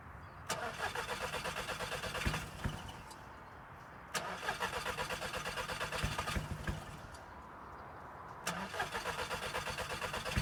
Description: Scirocco cranks but wont't start or stay running. Cranking and killing the battery